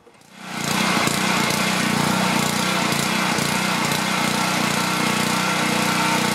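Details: Self-propelled Husqvarna mower with Honda engine, after no-start from no spark was fixed and blade reinstalled: fires quickly and settles into a smooth, even buzz with steady pitch and no misses; runs like new.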